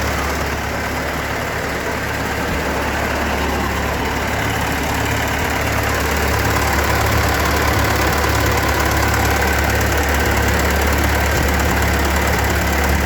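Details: Ford 8N tractor's old four-cylinder, first start after converting to a spin-on oil filter (Wix 51068), with a new alternator fitted. Steady, even low chugging at about four beats a second, no knocks or misses; oil pressure present, normal idle.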